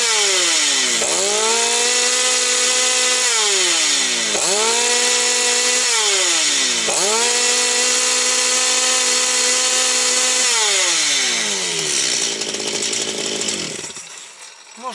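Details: Stihl 250 chainsaw, about two years old, repaired after a no-start and warmed up: revs in repeated bursts, clean high tone sagging under the cut and picking right back up; sounds healthy.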